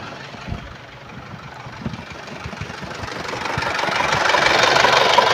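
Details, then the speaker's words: 1997 Isuzu Panther 2.5 diesel, no oil leaks, at idle: steady clatter at about three beats per second, with no metallic or piston ring noise. Normal idle. "suara mesin ini, tidak terdengar suara-suara aneh. Seperti suara logam atau suara ring piston . Jadi, suaranya masih cukup normal."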